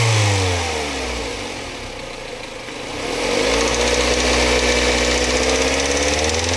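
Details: Mazda MX-5 Mk3: engine revs and drops back to idle with a fast metallic rattle over it, about four per second; source undiagnosed.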